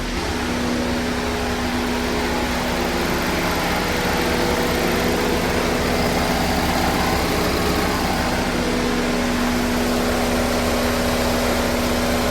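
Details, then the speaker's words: 2013 Chevrolet Equinox 2.4 L Ecotec after timing chain replacement and oil change, first start: smooth even idle with steady low hum, no ticking or rattle; healthy. "Okay, here's the moment of truth. Timing chain's on, let's start it up. Make sure there's no leaks."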